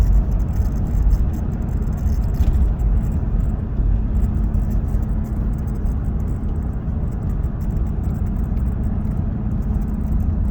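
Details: 2015 Ram 1500 Outdoorsman EcoDiesel cab while driving: a faint steady buzz-rattle from the steering wheel horn button over heavy road and engine rumble. It stops when light pressure is applied to the side of the button.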